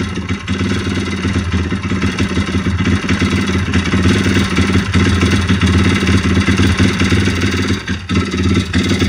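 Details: YX-1 160 four-stroke single revving, with an uneven metallic clatter that comes and goes. Fully rebuilt with valves adjusted; small piston-pin play, no conrod or cam play, but the cam came out easily with its bearings; slight ringless piston play. Internal knock source not pinned down.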